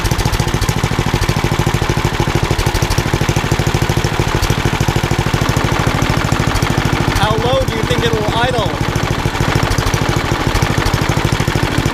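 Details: Old rusty Tecumseh 10 hp HM100 engine at idle after a genuine Tecumseh carburetor replaced a knock-off one (knock-off carb or its corrosion blamed), muffler refitted: steady even firing, no knocks or misses; runs beautifully.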